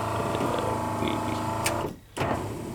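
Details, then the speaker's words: 1988 VW Westfalia van, the other power window: the motor whirs at a low, dragging pitch and labours through its travel, slow on the way back; the cause is not yet found, and the owner plans to swap in parts from another unit. "and she's a little slow on the way back"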